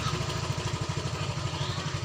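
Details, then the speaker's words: Yamaha Mio Soul GT 125 scooter with totally dead instrument panel, started by kick while opening throttle: steady even low putter at idle; engine runs normally, so fault lies in the electrics. "Dan ketika kita engkol lebih lama lagi sambil ditarik gas, nah motor ini menyala dan juga kondisi-kisiannya terlihat nampak normal,"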